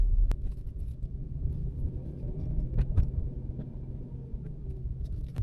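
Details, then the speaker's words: Test drive of a trade customer's newly bought car: road rumble with sharp thuds over bumps, about four in six seconds, a suspension knock from the front right; cause not yet confirmed. "There's definitely a suspension noise coming from that front right."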